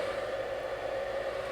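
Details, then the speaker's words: Bluetti EB70 power station plugged in with no load: internal cooling fan runs continuously with a steady airy whir and mid-pitched hum, a little noisy but normal. "So that fan is running even though it's not plugged into anything. And you can hear it. If I hold it up here, you can hear it's quite noisy."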